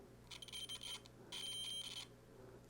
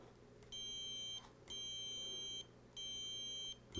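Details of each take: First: 1970s Electra Strat-style guitar with Tele-style solid bridge, continuity tester on the corroded bridge ground before reassembly: two high beeps that flutter and drop out rather than a solid tone; intermittent ground, bridge cleaned with steel wool. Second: 1970s Electra strat-style guitar, bridge ground after polishing corrosion with steel wool: continuity tester gives three clean, steady beeps of about three-quarters of a second each, no dropouts; ground connection solid.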